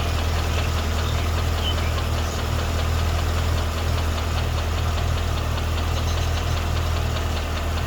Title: 2012 CTS-V Ticking/Knocking Sound